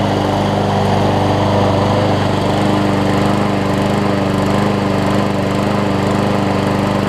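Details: Scotts push mower with Briggs Quantum engine after carb clean and self-propel engage lever replacement, having sat a while; steady even drone at constant speed, clean unwavering tone, no misses or surging, running healthy.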